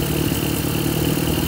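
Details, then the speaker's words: Toyota 4K carbureted engine with rough, stalling idle: low, slightly uneven idle with faint wavering beat; air-fuel mixture screw was over-tightened, and loosening it smooths the idle and raises rpm. "Yan ay, yan o, pag niluwangan mo ay yan, gumaganda, tumataas pa yung idle niya."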